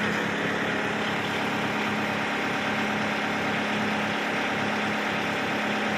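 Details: Kubota MU5702 tractor diesel idling steady and even with a faint constant hum after the hydraulic lift control (rear hitch/lift control) was replaced to cure a jerking rear hitch; engine sounds settled and healthy.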